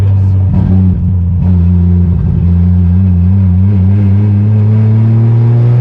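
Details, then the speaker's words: 2JZ-swapped BMW E36 (JDM VVT-i engine) on its first test drive, running without a part that could not be sourced locally in time. Under acceleration the drone surges and falters, breaking up badly. "so as you guys could tell the car was still breaking up really bad when we took it for the test drive"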